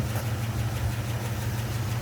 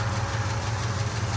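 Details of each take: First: International Travelall V8 after a roughly 25-mile drive with the flame arrester removed and no oil dripping: a smooth, steady low idle with an even rumble and no knocks or misses. Earlier carb bogging and black smoke on throttle tip-in were fixed. Normal idle. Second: V8 Travelall idle on a road trip: steady low idle with light, fast ticking of minor valve train noise, otherwise running fine; a small vacuum leak also noted.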